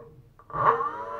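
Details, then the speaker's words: BLDC motor 6384 at 140kv on an e-bike controller, after a synchronization learning run with the hall sensors plugged back in: a brief, uneven, stuttering hum that sounds rough. The combination is not working, so the leads are to be swapped next. "Okay, sounds good. A little bit rough there. I'm not sure if it's okay."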